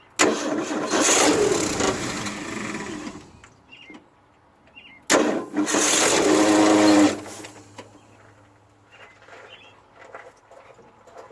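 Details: 1968 Ford F100 that won't start: two rough cranking bursts of about three seconds each, grinding and shuddering, with vibration heard from the starter area under the hood. The engine never fires.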